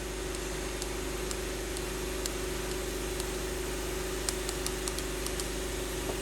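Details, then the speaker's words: 1997 Lincoln Town Car leak-down test, cylinder six pressurized toward 100: steady airy hiss with faint tone and light clicks, only about 30 percent holding; believed intake valve leak, head must come off. "and cylinder number six is only shown about 30 percent on that gauge so we know that then we can hear it we can hear it hissing so we know there's a problem there"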